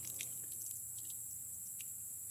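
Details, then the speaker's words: Stihl Dirt Boss 2700 psi pressure washer, engine not yet started, water flowing from spigot through hose: faint irregular spits and sputters over a steady hiss as air bubbles purge out through the wand, felt jumping in the handle; air in water line. "you can feel it in the handle actually the air bubbles and see when it jumps like that that's air coming out of the system"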